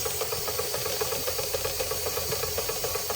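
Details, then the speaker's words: Märklin 16051 twin-cylinder steam engine, still running in (third or fourth run), on its original burner: quick even chuffs about four per second with steady hiss, safety valve releasing steam before the red; runs healthy. "Releasing steam before it gets to the red. It's a perfect setup."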